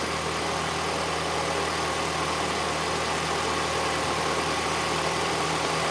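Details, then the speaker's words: Mini Cooper R56 engine idling evenly and smoothly once warm, with no knocks or rough patches; the owner notes a separate funny noise only at startup that goes away, not yet diagnosed. Normal idle. "Apart from that loud noise, the engine is now nice and smooth."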